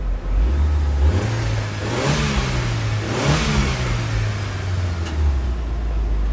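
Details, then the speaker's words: Auction turbo car with just under 250,000 km, low on fuel, A/C on: engine blips cleanly up and down twice with a faint rising turbo whistle on each rev; smooth, healthy. "i don't know if you could hear you can hear the turbo whistle a little bit"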